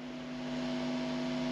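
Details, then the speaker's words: 1980s Rega turntable with S-shaped R200 arm and separate earth lead, connected without the earth: steady buzz with higher-pitched whine over a low hum, unchanging throughout. "This is connected up without the earth. So it's a sort of higher, slightly higher pitch."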